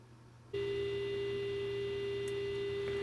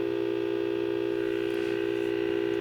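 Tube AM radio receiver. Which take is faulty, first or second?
second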